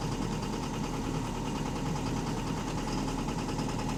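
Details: Diesel bus engine (AL HV48, route 335) idling with a steady, deep knock repeating at engine speed through the clatter; loud rod knock, typical of a worn connecting rod bearing.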